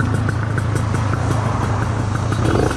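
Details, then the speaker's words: Gilera Runner 180cc scooter with Smart Carb SC2 after leaning five clicks counterclockwise: lumpy heavy idle, uneven burble, faint ticking, smoking heavily; still really rich at idle. "so if it's if it's smoking it idle like that that tells you it's really rich at idle"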